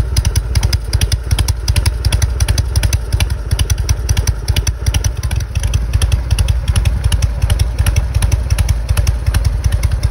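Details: Harley-Davidson Evo Softail with failed OEM ignition module, which caused carb backfiring, being updated to Twin Tec system; strong even V-twin idle with no pops or misses, running smoothly.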